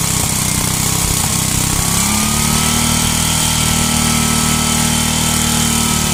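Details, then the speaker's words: 33-year-old Homelite 8 hp 4,400/4,000 W yard-sale generator, single-cylinder, running after start with a loud steady drone and a faint tone holding speed evenly; it runs and makes power but leaks gas. "All right. Well, so it works. It runs, makes power, leaks gas. Not a big deal."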